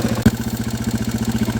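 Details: 2002 Yamaha TTR 225 single after a battery replacement, choke on: even thump about thirteen beats a second, slightly fast like a choked cold idle, steady with no misses; runs healthy.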